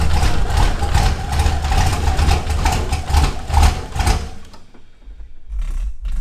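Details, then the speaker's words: First start of a turbo LS1 V8 swapped into a Ford F100, no throttle: deep burble settling into a steady, even idle before shutoff, with no clinks, misfires or exhaust smoke; sounds healthy. "i didn't touch the gas pedal it just rained and idled sounded great well so far not too bad no clinking sounds no fires no explosions nothing coming out of the exhaust"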